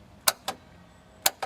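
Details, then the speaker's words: Mercury 50 hp four-cylinder two-stroke outboard with added key switch on bracket operating electric choke and starter, engine not running; two sharp pairs of clicks about a second apart: electric choke solenoid pulling in normally. "I put the key switch right here on a little bracket because I wanted to be able to activate the choke and the start from the same switch so if you listen you'll hear a clicking noise"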